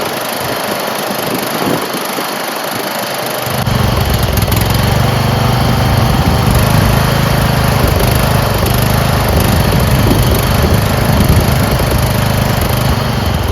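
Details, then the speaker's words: Craftsman 30-inch rear engine rider mower, carburetor never cleaned: engine catches after a few seconds and settles into a steady but slightly uneven chug; runs rough, owner suspects the carburetor. "It runs, but there's something going on with the carburetor."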